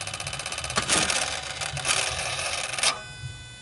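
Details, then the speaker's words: Toyota Hilux 1KD-FTV with newly installed variable-nozzle turbo, key on/off engine off: buzzing whir about three seconds then stops, the electronic stepper actuator moving the vanes; normal, not a turbo fault. "want you to pay attention to this part right here this is on your turbo this is your actuator for your turbo right it tends to make noise I'm letting you know that as normal right so don't go and change your turbo because of that noise that you're in listen real closely when you take your key off"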